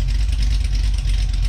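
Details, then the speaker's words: Cadillac CTS-V V8 with a big cam on the stock muffler, heard from the back of the car: a deep, lumpy idle that rises and falls a few times a second and runs evenly. A tapping sound is remarked on, but the idle is normal. "let it idle oh that sounds good oh my god oh my god what's that tapping sound is that's an angry engine man that sounds good"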